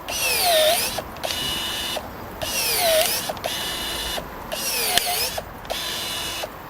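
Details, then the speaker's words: Budget cordless battery pruner cutting a thicker, chunkier branch: repeated short motor bursts whose pitch sags during each cut as the motor labours and struggles under load. "You can hear it's starting to struggle a little bit there."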